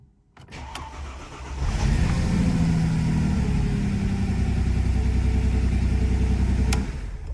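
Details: Mercedes W211, previously not cranking (starter not turning): the starter whirrs briefly, the engine catches within a second and settles into a smooth, even idle with no knocks; normal start.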